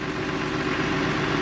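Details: John Deere 3350 tractor diesel after fitting a non-return valve to the lift pump line to stop fuel draining back: steady, even idle with a constant low rumble and no misses or knocks; normal idle.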